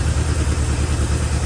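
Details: 1974 Chevrolet C10, high-mileage old engine with some blow-by, no water in it yet: low, lumpy, wavering idle that does not want to hold; rough idle, owner says it needs a tune-up and rings need to reseat.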